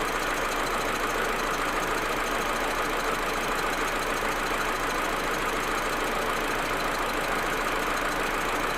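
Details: Audi A4 1.8T at cold idle: uneven, irregular stumble about once a second over the engine hum; smooth once warm. Plugs, coils, ignition amplifier and vacuum hoses replaced; owner suspects injectors or carbon buildup, misfire cause unknown.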